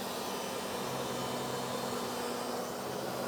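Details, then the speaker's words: Ridgid 535M pipe threading machine set up for 2-inch pipe with lubrication verified; steady motor hum as it spins up; normal operation. "Once the threads start, I no longer have to apply pressure. You can hear the machine motor bog down. That tells me it is engaged."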